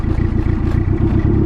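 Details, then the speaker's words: B20V turbo Acura Integra started after sitting a long time under a tree, piston damage suspected again; idle pulses stumble and skip, a rough lumpy misfire at idle. "Damn, it turns on like nothing. But yeah, you could already kind of hear it"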